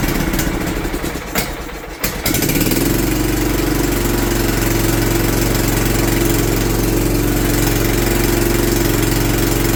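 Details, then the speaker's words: John Deere LT150 single-cylinder engine after governor replacement, cold first test run: catches at about two seconds, steady idle with faint puffing tick from leaking exhaust gasket; struggling to stay running, owner suspects fuel pump. "you can hear my exhaust gasket too leaking let me warm it up a minute"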